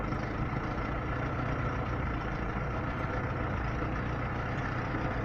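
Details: Lada Niva engine after owner-done valve clearance adjustment for valve knock; steady, even low idle with no top-end ticking or tapping. The chain tensioner is already worn.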